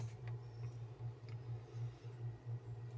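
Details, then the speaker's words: Brastemp frost-free duplex fridge: low motor hum pulsing with faint ticks as the freezer fan blade hits built-up ice and cannot turn; the fix is melting the ice with a hair dryer. "ventoinha fica batendo gelo aqui ó ela não roda fica vendo assim fica batendo"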